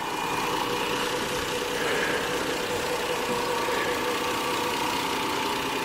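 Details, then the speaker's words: 2002 Lexus GS 300 V6 at idle: a steady, even, quiet smooth hum with no exhaust noise and no engine or valve ticking; normal idle. "so as you can hear uh the engine is very quiet the headers are very quiet there's no exhaust noise no engine ticking no valve ticking anything like that"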